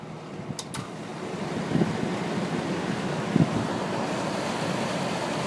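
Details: Rex Air Controls window fan after repair, old Westinghouse motor with shot sleeve bearings replaced by a 1/4 hp 2-speed Emerson motor, spherical bearings shimmed with rubber gasket strips, belt-driven, running on high: steady even air rush, low whirr, no knocking; normal.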